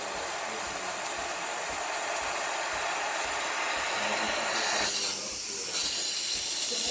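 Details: Breville espresso machine after full service, earlier buzzing when buttons pressed: strong, steady steam hiss with no sputtering or pulsing; steam wand delivering even, healthy steam.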